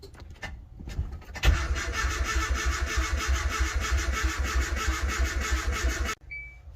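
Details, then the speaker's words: Turbocharged Nissan Hardbody, stock internals, about 400 hp: starter cranks steadily about three beats a second for five seconds, no start; owner suspects blown head gasket, water in last cylinder, possibly bent rod. "she doesn't want to run. It's probably pretty bad."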